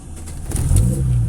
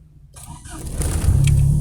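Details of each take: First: Kadett GSI alcohol engine on Megasquirt MS2, deliberately fuelled with adulterated ethanol causing lean mixture: hard to catch, sputters and shakes to a low uneven idle held up only by idle actuator against 950 rpm target; lean misfire. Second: Kadett GSI alcohol engine on Megasquirt MS2 with wideband lambda, running on adulterated ethanol after 15% fuel enrichment added: quick crank, clean catch, idle flares then eases down smoothly; lambda about 0.97–0.99, stable, no vibration; normal start.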